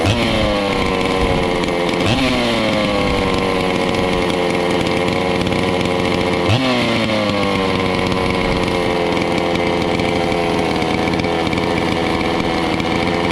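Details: Stihl 046 chainsaw after port work and rebuild, first run after priming, cold before heat cycles; crisp, even two-stroke buzz with two clean throttle blips that rise and settle back smoothly. Normal running.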